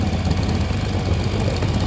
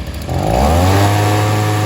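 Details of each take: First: Stihl SH 55 two-stroke handheld blower/vac, before carb adjustment: steady, fairly low drone that never reaches a crisp high scream; sounds held back, probably lean and short of revs. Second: Stihl SH 55 handheld two-stroke blower/vac after tune-up and carb adjustment: spins up fast to a steady, clean high-pitched buzz with no stumble or surging; fixed.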